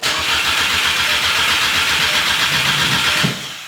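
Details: VW MK6 GTI with a replacement engine just installed: steady starter cranking that never fires while the immobilizer code stays active despite the key lock/unlock; fuel smell noted; crank no start.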